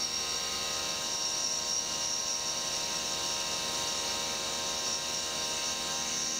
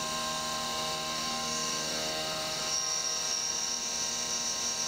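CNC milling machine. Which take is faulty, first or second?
second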